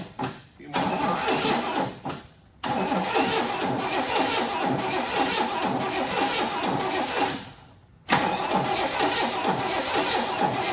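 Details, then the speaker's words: 1981 Oldsmobile Cutlass Supreme, original 260 V8, 42,000 miles, parked 30 years, premixed gas poured down carburetor: repeated quick, slightly uneven cranking bursts, never fires. Crank no start; owner suspects stuck valve or lifter giving uneven compression. "all right what we're gonna do sounds like probably has a stuck valve or a stuck lifter of some kind to me because i hear that and it goes kind of quick so it's probably not got even compression right now"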